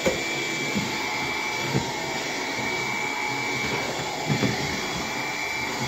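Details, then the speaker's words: Bissell PowerGlide cordless vacuum on low power, brush roll off, hard floor: steady roar with a thin high whistle and soft bumps; motor making a weird noise, later found clogged. "I don't know if you hear it but I hear it the motor keeps making a weird noise"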